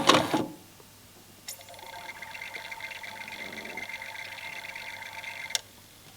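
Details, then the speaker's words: Sony TXD-R11 tape deck/CD unit with belts already changed, CD not reading, playing a burnt CD: faint whir and light ticking between clunks; the laser searches with the focus servo running but the disc is not read. The drive is a KSS-240A. "And this is the it's the searching laser. The focus servo is running, but there is no."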